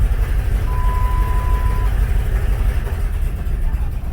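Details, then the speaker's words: 1996 Jeep Grand Cherokee 5.2 V8 on a warm restart, no throttle applied, after IAC valve and crank sensor replacement and catalytic converter removal: very low, uneven, throbbing idle that nearly stalls and shakes the whole Jeep. Cause not found. "not touching the gas there it goes it recovered and now the whole damn jeep is shaking because of this low rpm"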